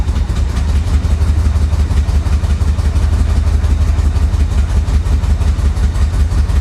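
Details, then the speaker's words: 1985 Chevrolet Corvette, flooded and unrun for over 10 years: a heavy, lumpy idle with uneven pulses near three a second that sounds ready to stall. The owner suspects timing or fuel. Rough idle. "yeah I'll tell you what man oh oh yeah it sounds like a timing issue doesn't it I don't know could be fuel could be timing"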